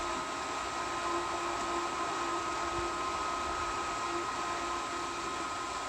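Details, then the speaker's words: Pool pump switched back on after the valves were reopened, priming and starting to draw water: a steady, even motor whir with a rushing airy hiss and no knocks or surging; normal running while priming. "then the pump will try to prime so it should start priming now any moment there she goes and since we had these shut it shouldn't take it very long to start drawing water"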